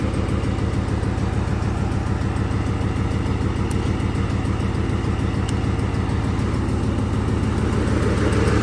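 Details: 2008 Ford Mustang GT (S197) V8 donor engine with 75,000 miles, just installed as a replacement for the noisy original; steady, even idle with regular low beat, no knocks or stumbles.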